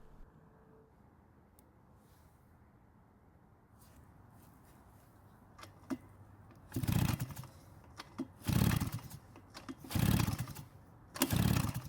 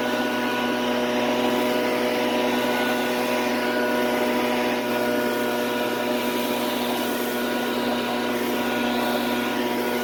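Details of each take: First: Shindaiwa backpack blower, two-stroke, dirty carb area, fuel in tank: five pull-starter rasps and it never catches. Intake found much too loose, letting air leak in. No-start from intake air leak. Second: Shindaiwa two-stroke backpack blower running after a no-start repair: it holds a strong, steady high-pitched drone at constant revs with no stumbling or hunting, and it blows leaves, pecans and small twigs powerfully.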